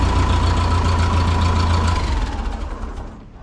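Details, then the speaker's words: 1951 Ferguson TO-30 tractor idling steadily and evenly with a smooth firing beat, no knock or miss, then winding down; runs like a champ after cleaning the stock parts following days of air, fuel and spark troubleshooting. "uh we cleaned up the stock ones that have been in there for who knows how long and she runs like a champ"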